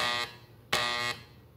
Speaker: so mine was making a buzzing sound so when you hit the door better like let me see if I can show you guys what it's doing